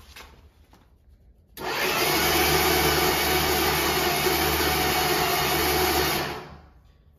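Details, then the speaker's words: 1964 Dodge Dart station wagon, 170 slant six, first start after 25+ years parked, coil just hooked up: steady even starter whir about five seconds with no firing; cranks but won't start, spark present, fuel suspected. "almost don't sound like it's getting any fire. I don't hear it like strained against the ignition or anything."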